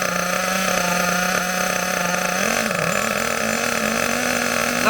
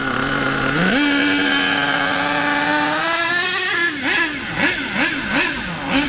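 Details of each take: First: HPI K4.6 nitro engine in a Savage 21 monster truck, warming up, mixture set extremely rich: high nasal buzz holds flat, sags and barely climbs at full throttle; over-rich bogging, should speed up as it warms. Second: HPI K4.6 nitro engine in a Savage 21 monster truck, just tuned on low- and high-end needles: a high scream rises cleanly, holds, and blips crisply without bogging; normal running, mixture judged right.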